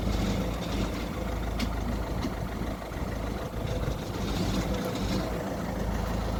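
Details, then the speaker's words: Citroen Berlingo 1.6 HDi: harsh grinding roar and low rumble in neutral and while creeping back and forth, quieting when the clutch is pressed; worn gearbox internals, gearbox then removed. "I've been around cars long enough to know that that's not a pretty noise um so noise goes away when you press a clutch that means it's definitely something related to the clutch or the gearbox"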